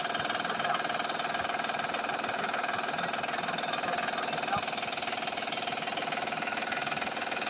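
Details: Van, oil changed last month, noise also heard accelerating: steady light knocking about four a second that sounds like the engine but is not from inside it.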